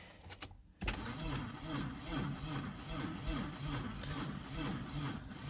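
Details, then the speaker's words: 2002 Audi A4 project car, tried with starting fluid and showing a service brake light: steady rhythmic cranking that never catches. Cranks but won't start; the owner suspects the battery isn't charged enough or a connection is bad. "so let's try it again and if starting fluid so on up they're getting a crank with that it's saying service brake light is on yeah so you guys can hear"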